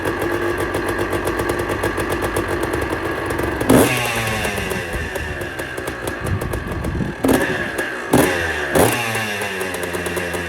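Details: About 40-year-old Kawasaki KDX200A two-stroke enduro, first start after an engine rebuild with the crankshaft bearing fixed and some pattern parts: crisp, even idle with throttle blips that return cleanly, no bottom-end rumble or knock. Much smoother.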